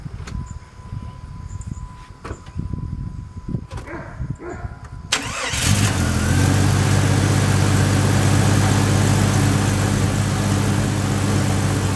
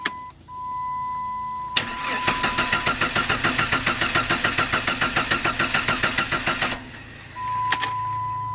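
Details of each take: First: 1997 Jeep Grand Cherokee 4.0L inline-six, previous crank-no-start, after replacing camshaft position sensor (distributor pickup coil): a few quiet clicks, brief crank, engine catches and settles into a smooth, even idle. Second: 1997 Jeep Grand Cherokee ZJ: starter cranks evenly, about six compression pulses a second for four seconds, chime beeps, engine never fires; crank no-start, first suspected crankshaft sensor, traced to failed camshaft position (distributor Hall-effect) sensor.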